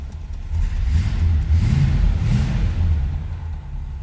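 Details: 1965 Chevrolet Impala SS hardtop, V8, new tailpipes: fires right up with deep steady rumble, brief swell of revs, then settles to an even idle; normal start and idle.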